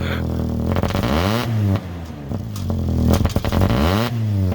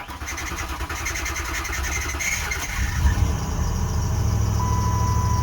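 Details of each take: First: Diesel truck, 146 on it, sat 2 years, primed after a new sending unit, revved cold and blowing black smoke; rough, clattery, lumpy note; rough cold running, owner suspects water in the fuel and says it needs to warm up. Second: Lincoln, 105,000 miles, started after sitting about 9 years, with new brake lines, power steering line repaired, still needing fuel lines and filter; starter cranks a few seconds, engine catches and settles into a steady even idle; normal start.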